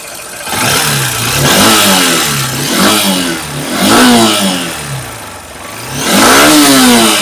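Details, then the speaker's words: Honda SP 160 BS6 with a check engine light and intermittent starting, before repair. Throttle blips rise unevenly and sometimes stumble, so pickup comes and goes; a fuel filter change and throttle body clean didn't help, and the fault was traced to a carbon-fouled plug cap. "কখনো কখনো pick up নিচ্ছে, কখনো কখনো pick আপই নিচ্ছে না। এই এখন pick up নিচ্ছে, এই যে এই দেখো পিক আপ নিচ্ছে না।"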